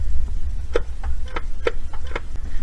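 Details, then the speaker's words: Gas Club Car golf cart that doesn't always start, in maintenance mode with accelerator pedal pressed, battery at 12.5 V; a few sharp separate clicks with no cranking; normal starter solenoid click. "Then push the pedal. You can hear the selenoid click."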